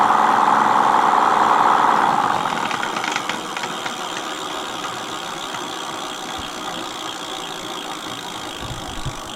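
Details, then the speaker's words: Mate X 20X4 fat tyre e-bike hub motor, regreased but not fixed, tried while pedaling: mid-pitched gear whine about two seconds fading as the motor winds down; noisy hub gearing only slightly quieter than before, cause not confirmed. "Try it pedaling. It's not as bad, is it?"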